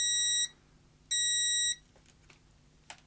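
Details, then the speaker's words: Lidl Parkside DM300 C3 autoranging multimeter on continuity test: two clean, solid beeps that start and stop instantly when the connection is removed, no sampling clicks; normal response. "let see how quickly it stops beeping when I remove the connection that seems very quick on and"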